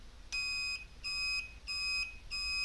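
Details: Bobber motorcycle, replacement blinker relay: four shrill, evenly spaced beeps, about ninety a minute, in time with the blinkers; the relay's buzzer beeps as it cycles.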